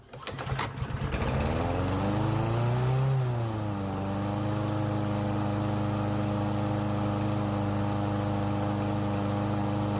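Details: Troy-Bilt TB110 mower with a Briggs & Stratton engine, which quit after sitting for months, run after repair: small single fires and briefly revs, then settles to a smooth, even drone with no misfire or surging; normal running.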